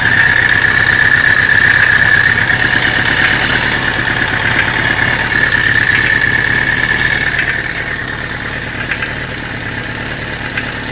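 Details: 1983 Suzuki GS550MD four-cylinder motorcycle idling with a steady synchronized knock of about four beats a second and a high whistle. The knock is heard only at idle, and the cause is unknown to the owner.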